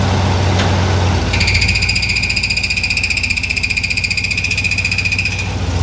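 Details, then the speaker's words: 1984 Chevy K5 Blazer with a brand-new crate Chevy 350 V8 at idle: a high metallic ring pulsing about four times a second. The flywheel was contacting the starter, only when put in gear. "okay we figured it out the flywheel was contacting the starter and uh only when we put it in gear"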